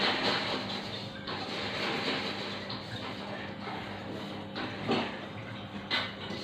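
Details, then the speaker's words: Sharp top-loading washing machine fitted with a universal control module, tested on drain then spin: a low steady hum with water swishing and a soft whirr as the drum turns; the module setup works normally. "Nah itu ya itu posisi barunya sudah berputar Jadi Wah berarti proses settingnya oke ya"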